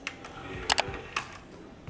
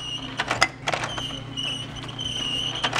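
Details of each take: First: DVD player disc tray after greasing rails and channels with dielectric grease to cure a squeak: soft button clicks and smooth, quiet tray movement with squeak nearly eliminated. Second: DVD player with case opened, disc tray moving: steady high squeal over a low motor hum, clicks at each end; owner suspects friction between pulley and drive gear, plans dielectric grease on drive wheel and tray splines.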